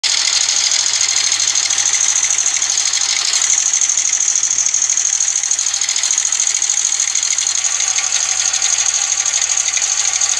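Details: Old Honda motorcycle engine: steady fast ticking clatter about three beats a second over a hissy, even-running engine; abnormal engine noise, cause unclear.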